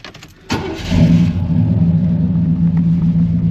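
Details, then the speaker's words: 1991 GMC Suburban R1500 with Rochester 220 throttle body injection, after setting base idle and reconnecting the IAC: quick crank, clean catch, steady even drone holding 550–600 rpm in reverse; normal start and idle, stalling fixed. "started at a good idle. Go ahead, put it in reverse. We're holding good at 550 to 6."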